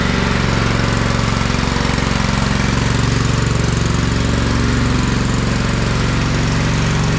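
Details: Kohler Command 16.5 hp in a Craftsman rider after long storage: steady, even idle with no misses; smoke from the muffler is burning off, likely from a slight oil leak.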